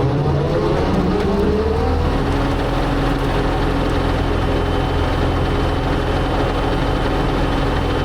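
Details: Brush cutter (bat wing mower) gearbox after repair with an aftermarket part and fresh gear oil: steady heavy drone at even pitch with no grinding, whining or knocking from the drive; gearbox running smoothly.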